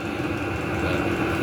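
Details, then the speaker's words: New fuel-pump-fed heater, first start, with a small muffler fitted to its exhaust: steady, even combustion roar and smooth low hum, no surging or popping, much quieter than before; exhaust very hot, no smoke, little smell. Normal running. "well that quiets things down a bit just throw me a little muffler on there we're all good that's a whole bunch quieter not that I thought it was that noisy"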